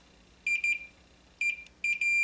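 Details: Multimeter continuity testing of closely spaced traces on a Mortal Kombat 2 arcade PCB: high beeps in short bursts, then solid on firm probe contact; clean continuity signal, suspect traces found not actually touching.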